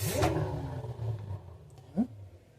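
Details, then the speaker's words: LG washer-dryer with good bearings spinning at 600 RPM, camera inside machine: soft, even low motor hum, very quiet with no grinding or rumble; normal drum spin with good bearings. "Então essa aqui está a 600 RPM, bem silenciosa. Dá até para aumentar a rotação dela e o barulho não vai incomodar."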